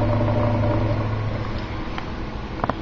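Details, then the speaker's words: 1940s–50s General Electric table fan after 20 years' storage: quiet when pointed down, but tipped horizontal or upward the motor hum turns rough with faint ticks; owner suspects worn motor spacers, unconfirmed. "it sounds like those spacers are about gone so when the fan is in a horizontal or kind of facing up position there's that spacer noise"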